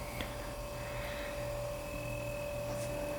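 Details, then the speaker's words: Dometic CFX 40W 12V fridge in a Toyota 4Runner, powered through newly wired 10AWG cable to a dedicated marine outlet, compressor kicked on by lowering the set temperature: a quiet, steady, even low hum with a faint whine. Normal running. "Let me actually just set the temp lower, then it'll kick on. Duh. Alright, here we go. Looks like it's running."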